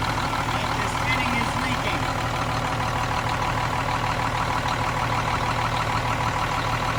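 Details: Cummins M11 diesel semi truck after fuel system priming and bleeding: firm even idle clatter, steady beat, no stumbling or surging; runs clean, no more air bubbles.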